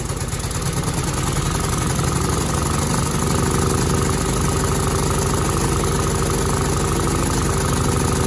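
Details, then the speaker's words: Cub Cadet 2166, 16hp Kohler Command single-cylinder, after fuel pump replacement and brake switch activator fix, primed, low tank tipped: steady, even thump about three beats a second, holds without stumbling. Normal running. "So as you see, it was going. It's going. It sounds good."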